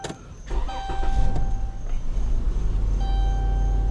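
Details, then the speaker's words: 2011 Chrysler Town & Country after crank-no-start (mobile tech's fuel pump replacement hadn't fixed it; battery was at 8 V, booster pack connected): engine catches and settles into steady, even idle, no misses or knocks; running normally. "But whatever, this thing works. Thing's running."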